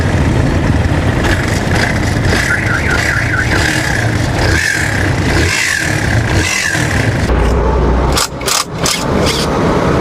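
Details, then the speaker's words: Barako motorcycle single-cylinder idling with a loud, busy mechanical rattle over the exhaust; the balancer gear is too loose with excessive play, causing the noise. "Yung balancer niya mga bossing ay masyado ng malog. Masyado ng malog yung balancer niya kaya ganun siya kaingay."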